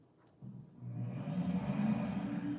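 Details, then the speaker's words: Dover hydraulic elevator, seven- or eight-story building: quiet, then a deep heavy rumble as the pump starts and holds, far louder than a healthy unit, rattling walls; excessive rumbling. "the whole when that I'm telling you when that when that right one would start up it would just Rumble you just hear mom"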